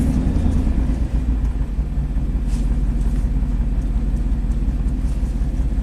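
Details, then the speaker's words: 2000s Chevy Silverado 3500 dually dump truck, 6.0L Vortec gas V8, 40k miles, after a spark plug check and reinstall: deep V8 rumble with an irregular stumble about three times a second, still a little shaky. Misfire continues on cylinders 1 and 8, weak injectors. "all right here we go everything's plugged in let's see if the truck is happier [Music] still a little shaky"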